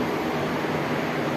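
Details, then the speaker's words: Window AC fan motor that made noise after one or two minutes of running, now reconnected after repair; steady even airy hum, no squeal, scraping or wobble; spinning freely and running normally. "अ की motor आपके सामने चल रही है हां बिल्कुल ठीक है और कोई साउंड वगैरह भी नहीं आ रही है इसके चलते चलने देते हैं"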